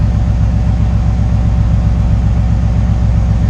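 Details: 1968 GMC V8 after an oil cooler install to cure high oil temperatures and low idle oil pressure (previously 14–15 psi, now about 30 psi hot). Deep, even burble at a steady idle with no misses, knocks or ticks; healthy.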